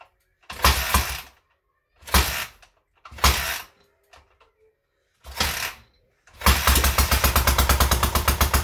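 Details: Newly rebuilt K750 twin engine first start after fixing an ignition fault; several cranking bursts, catches, settles into even steady beat, both cylinders firing and warming equally.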